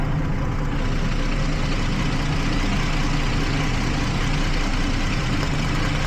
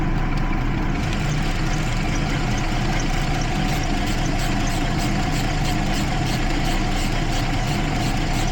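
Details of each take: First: 2012 Jeep Liberty 3.5 L V6, after coolant leak fix and engine bay soaking caused misfires on cylinders one and five from weak secondary ignition: steady even idle with no skips or ticking; running smoothly. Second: 2012 Jeep Liberty 3.5 L V6 idling with an uneven, stumbling beat; misfire on cylinders 1 and 5 after a coolant leak soaked the engine bay; ignition spark leaking outside the cylinder in the waste-spark system.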